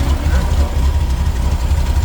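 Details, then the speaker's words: 1979 VW Super Beetle, fuel injection converted to EMPI carburetor, original air cleaner refitted: cold engine on choke, steady low throbbing idle with even beat, no misses or knocks; healthy, should smooth out once warm. "the joke is running right now as soon as the engine warms up it'll back off and it'll run a little smoother"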